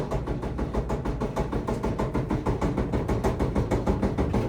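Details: Samsung dryer: heavy, even thumping about three times a second as the drum turns, caused by the detached drum felt seal.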